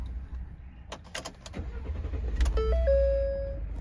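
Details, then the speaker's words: 2012 Ford F-150 Lariat, high mileage: quick crank, catches at once and settles into a smooth even idle under a warning chime; runs perfect, normal start and idle. "can't believe it has this many miles it seems very nice for the miles runs perfect"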